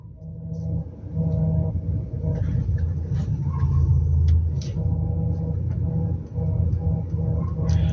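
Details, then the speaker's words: VW Passat B5 at idle: a steady power steering pump hum with a faint whistle while the wheel is untouched, stopping under steering load. Reservoir shows no foam and the level is fine; it began two weeks ago. Owner wonders about a fluid change. "Не могли бы вы рассказать , что это за свистящий звук в гидроусилителе руля? Вы же это слышите, правда? Оно гудит, когда я не прикасаюсь к рулю."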